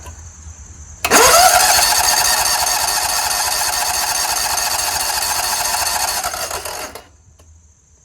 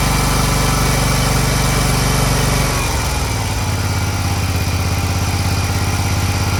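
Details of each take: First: Scag Tiger Cub 48" zero-turn with a dirty carburetor, on a jump starter: cranks steadily at about 3.5 turns a second but never fires. Possibly because no one was on the seat switch; cause not confirmed. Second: Scag Tiger Cub 48" commercial zero-turn mower engine after the start/stall repair, with much oil in the air intake and possibly replaced: a strong, steady low thump that settles to an even, clean idle after a speed change. Runs crisp and clean, normal running.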